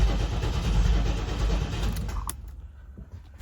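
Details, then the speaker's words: 1989 Pontiac Trans Am GTA unregistered 17 years: slow uneven cranking about three turns a second that drags and dies without catching; starter sounds unhappy, owner suspects injectors clogged from old fuel. "That starter seems very unhappy to me. And I think what we're going to have to do is we're going to have to uh shock some injectors."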